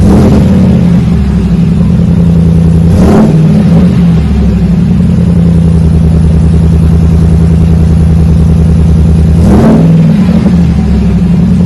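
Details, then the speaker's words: 2020 Chevrolet Silverado RST 5.3L V8 with a Magnaflow single-in single-out muffler, factory resonators removed, factory cats kept, 4-inch dual tips; deep, smooth burble at cold-start high idle, two clean blips, no drone, rattle or misfire. "kind of settles down see it just went through that cold start mellows it right down shouldn't wake up the neighbors too bad with this one"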